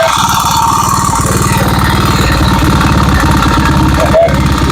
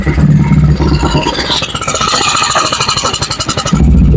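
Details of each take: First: Honda Vario 110 (Vario Techno, KVB) scooter at idle: rough, clattering engine with a fast metallic rattle over the beat, described as "ngebletrak"; mechanic plans to open the chain drive to the radiator and oil pump to inspect, consistent with slack cam chain rattle. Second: Honda Vario 110 carburetted scooter after engine rebuild, mic at loud exhaust: loud open exhaust with steady idle beat and clean rise under throttle; engine smooth, PE carburettor just needs resetting.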